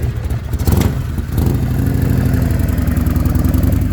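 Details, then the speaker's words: Evo Harley V-twin after rebuild with new motor, cam, breather gear, Torrington bearing and Cycle Electric stator: brief rev then even lumpy idle, steady pulses, no knocks; normal idle after repair. "sounds like a million bucks this this motor is like really [ __ ] nice oh yeah real smooth running real good"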